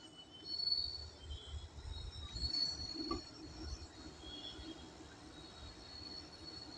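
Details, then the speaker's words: Whirlpool Vita Magic refrigerator still cooling, with a thin, high-pitched squeal over a low running hum from a faulty compressor; compressor to be replaced under warranty. "इसमें compressor का issue है ज छोटा घर रहेगा वहां पर आवाज इरिटेट करेगा तो कंप्रेसर का इशू है"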